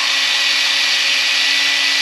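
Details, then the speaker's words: Valve being lapped on its seat with a drill during an engine refresh: steady high hissy grinding without rhythm, the sound changing as it goes from coarse to fine; normal valve lapping. "You can hear the uh the stone. Imagine like the stone going from a big grind to a small stuff grind like it's um going from coarse to"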